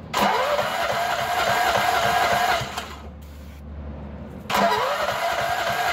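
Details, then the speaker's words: Nearly new lawn mower, 10 hours, previously surging and sputtering: engine fires and runs steady at full speed with no surging after a mouse nest was removed from the muffler. "shut her off boy now that's the way they supposed to sound"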